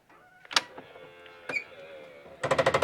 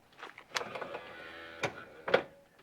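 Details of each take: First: 2006 Alfa See Ya motorhome electric entry step retracting: after quiet clicks, a rapid machine-gun-like clatter runs for about four seconds; owner suspects the gearbox, replaced with a new motor and gearbox assembly. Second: 2006 Alfa See Ya motorhome electric entry step, motor and gearbox: about a second of even motor whirr with soft clunks at start and stop as the step extends smoothly, no grinding; the fault appears only on retracting.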